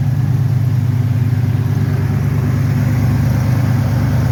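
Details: 1993 Ford Bronco after replacing a seized smog (air) pump that caused bad belt squeal, serpentine belt now routed correctly: steady, even low rumble with smooth firing rhythm, no squeal or knock; normal running.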